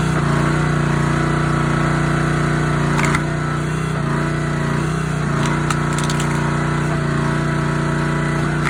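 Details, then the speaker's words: Honda GX160 SplitFire wood splitter after carb clean and oil change for bogging and stalling; steady, even drone holds speed while splitting hardwood, no surging or stumbling, running healthy under load. "Make sure it's evening out. Cutting not acting strange."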